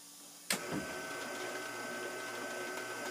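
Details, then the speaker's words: Grizzly G0755 mill/drill, new, first gear high range, about 1/8 hp motor: after a click a steady even whine with audible but acceptable bearing sound, no roughness or knocking; normal run. "so i'm i'm not unhappy with the bearings running i can kind of hear them"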